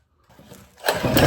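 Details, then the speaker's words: Predator 212 go-kart engine bought used after sitting two years in a shop, condition unknown; silence, weak pulls, then coughs and catches into uneven rising run, seeming to like a little throttle: hard starting, cause not identified. "Whoa! It sounded like she was about to start right there. Oh, I wasn't ready."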